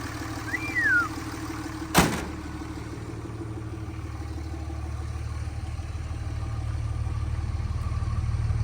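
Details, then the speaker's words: 2006–07 Cummins 5.9 diesel truck with cat and muffler, just started after sitting: steady, even idle with a smooth low rumble and no knocks or misses; the engine sounds healthy. "it does have a cat and a muffler so I'm a big fan"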